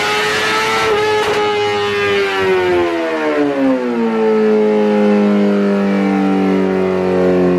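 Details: 2008 Suzuki GSX-R1000 on dyno after new fuel pump assembly, warmed up: high steady howl winds down smoothly and evenly to a lower drone, no misfire or hesitation. Normal rev-down after pull; fueling issue resolved.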